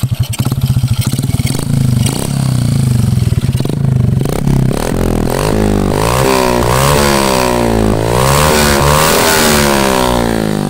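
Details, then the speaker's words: Honda Karisma motorcycle emitting white exhaust smoke, revving: clatter and rasp under exhaust note, harsher as revs climb; rough noise from piston area, owner predicts oversize piston and cylinder work plus valve reseating needed, not confirmed. "kemudian ada suara kasar di bagian pistonnya ini kalau prediksi Saya hanya penggantian di bagian piston naik oversiz"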